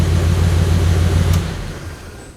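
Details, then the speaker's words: 1935 Ford Convertible Sedan with a 6-volt system, previously slow or stubborn to crank when hot. After the original starter was rebuilt, the grounds cleaned and the battery replaced, it starts right up and settles into a deep, even, healthy idle rumble. "And every time I go to start, it starts right up. Sounds good. Love it."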